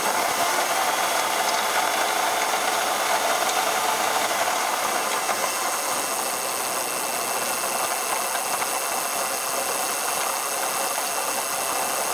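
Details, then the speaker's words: 2004 Ford Taurus: dry ratcheting clatter, roughly three per second, quickening as the engine revs, unchanged with air conditioning on; new noise, source uncertain. "yeah this noise is still going but it's basically um going faster along with it uh the engine accelerating uh so I'm not sure what's going on there"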